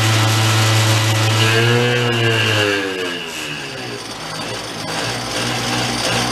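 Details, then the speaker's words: 2004 Yamaha Vino 50cc two-stroke scooter revived after years in a barn, revved to clear suspected oil: revs up buzzing, then the pitch sags and it dies under throttle. The owner wonders whether it is starving for fuel, cause unconfirmed. "yeah it's dying something's going on with it"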